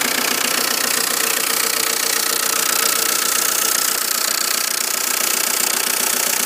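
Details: Volvo S40 1.9 TDI (F8Q) diesel at idle: steady, sharp knock about three times a second, even and regular; source unknown.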